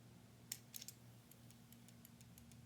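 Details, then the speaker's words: Filament runout sensor built into the right rear foot of an LDO Voron 0.2 3D printer, being tested by sliding an old, brittle piece of filament through it: sharp little clicks as the switch engages cleanly, which is normal operation. "If I slide that through there, I hear the switch engaging, which is good."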